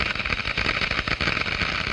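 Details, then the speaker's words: Water flowing through a glass venturi gives a steady crackling hiss, like fine gravel in water, as vapour cavitation bubbles formed at the low-pressure throat collapse in the higher-pressure diffuser. "The noise is generated by the collapse of these bubbles as they move into the higher pressure in the diffuser."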